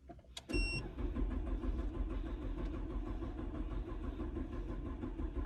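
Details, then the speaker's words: Dodge Stratus that cranks but won't run: the starter churns steadily but the engine never catches; the scan tool shows no crankshaft sensor signal and code P0320. "so we have a dodge stratus right now and customer stay is crank but it's not keep it running so we are here to check the crankset sensor if they are reading or not"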